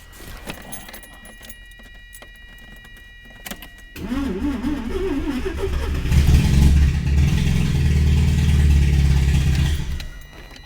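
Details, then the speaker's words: 1982 Mazda RX7, carbureted 12A rotary with a manual choke, first start after sitting about a year: a few seconds of cranking, then it catches into a low, steady rotary burble with no misses, sounding as if the apex seals are fine, though it is puking oil. "dude it didn't even sound [ __ ] up like it sounded like all day Peck seals were there"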